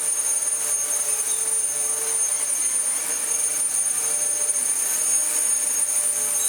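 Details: Dyson DC14 upright vacuum after replacing a non-clutched aftermarket brushroll with a good used one and reseating parts: steady high whine with constant shrill tones, no rattling or surging; normal running.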